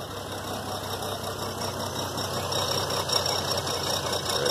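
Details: 2003 GMC Envoy 4.2 V6, engine just started after cooling down, uneven stumbling idle with an irregular beat; a sudden terrible misfire after an exhaust manifold replacement, traced to a bad coil pack.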